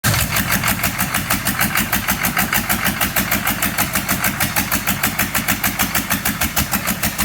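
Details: 6.5 diesel: lumpy idle with a steady chuff about three times a second, beat uneven in strength; rough idle, cause not yet clear.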